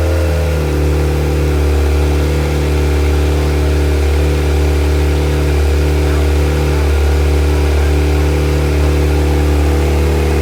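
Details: Viking engine in CH-750 aircraft, run after external charger disconnected, on batteries and alternator (which had simply been switched off), alternator charging; loud, steady drone at constant pitch with no misses, surges or knocks; normal running.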